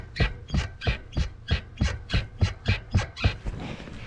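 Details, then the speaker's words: Winter road bike being rocked, lock nut already secured with Loctite: sharp regular knocks about three a second, then fading; owner suspects the cartridge bearings or the bearing cup in the frame. "still knocking so I reckon that's the cartridge Bings or the actual cup in the frame that's doing that"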